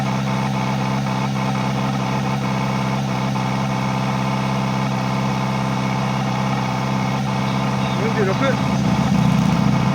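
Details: Kawasaki ZX-4RR motorcycle idling steadily with light ticking and a brief rising whistle: abnormal noise from the air intake.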